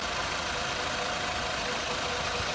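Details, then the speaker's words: VW Polo with CFNA engine, stated to have no piston slap: smooth, even idle with steady hiss and no knocking or ticking; normal healthy idle. "а самое главное что и поршневая у этого двигателя не стучит"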